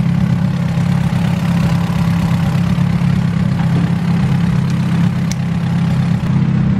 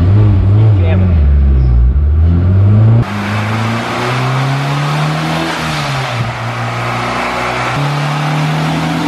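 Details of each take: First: Hot rod on the dyno after the distributor timing was advanced to match the ECU. A steady, even idle hum with a constant low tone and no stumbles or pops; timing is correct and the idle is clean. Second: Turbo car on the dyno, pulling hard. Then a sudden pop and a drop in pitch and pull as the boost pipe to the intercooler blows off.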